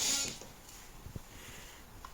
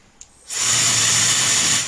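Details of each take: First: Known-good hair dryer, recorded through a sound probe on an A02 oscilloscope watching the 20K–23.1K band: the airflow rushes up smoothly over a couple of seconds at each switch-on, then holds an even roar; normal motor spin-up. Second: Defective hair dryer with abnormal noise, recorded by a sound probe on a LOTO A02 oscilloscope: silence, then a steady high rushing hiss that jumps straight to full pitch with no gradual 2–3 s spin-up seen in good units.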